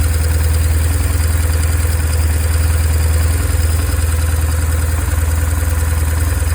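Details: 2002 BMW R1150R boxer at idle: low, steady thumping about four times a second with a light clatter on top; an unusual engine noise, cause not identified.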